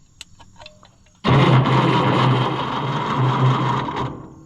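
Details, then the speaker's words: Oliver 1650/1655 tractor after swapping to a new Delco-style distributor: starter churns steadily about three seconds with no firing; cranks but won't start, no spark, points need filing. "Yeah, I don't think it's firing, friends. It's going to be hard to do with all metal tools, but ain't sparking in the places that it needs to."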